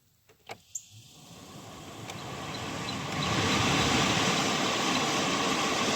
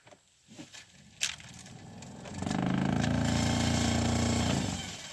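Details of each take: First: 2012 Chevrolet Sonic blower fan behind the passenger-side dash, after clearing out rag, leaves, sticks and rocks that caused a loud fan noise: click, then an airy rush rising and falling with fan speed, slight vibration, no scraping; much better, normal. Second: 2012 Chevrolet Sonic cabin blower fan, recorded with the glovebox drawer removed: fan spins up to a loud, rough, pulsing vibration drone, like a bearing going out.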